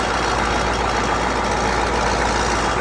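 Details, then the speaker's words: CUCV 6.2/6.5 diesel warm idle near 94° coolant after fast idle turns off: light uneven metallic rattle over clatter; owner suspects loose right-angle bracket at back of power steering pump to block. "there's a right angle bracket that bracket gets loose sometimes"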